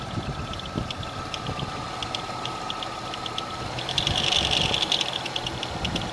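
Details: GM 3400 engine running with a quick, fairly even metallic ticking, about four per second, over the idle. The power steering pulley is broken.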